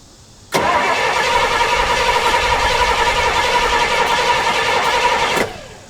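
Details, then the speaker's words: 1968 Pontiac LeMans, sitting 23 years, first start attempt after an HEI distributor was fitted and fuel poured in: a sharp bang, then rough cranking for about five seconds with no clean start; backfire while cranking. "are we getting any fuel so it definitely backfired yeah"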